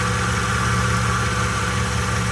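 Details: Ford/Lincoln 3.5 V6 running after an in-car replacement of the timing-chain-driven water pump (weep hole had been leaking): a steady, even low idle hum with no knocks, misses or squeals; normal idle.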